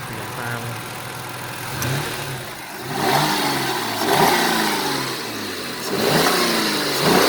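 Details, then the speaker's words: 2002 Mercury Cougar 2.5L V6, 184,000 miles, parked: engine blipped up smoothly and settles back with no knocking or rattle; the strange under-hood noise is absent when stationary and with front wheels spinning freely, appearing only on the road. "alright I'm not sure if you can hear it right now but idling it's not making that sound sounds like it's running fairly decent for an old car"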